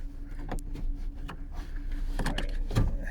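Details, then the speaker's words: Renault Laguna power window: motor strains in short uneven bursts with clunks near the top of travel; glass binds and slips, refusing to close the last bit. "it really doesn't want to close the last little bit oh look now it's fighting me"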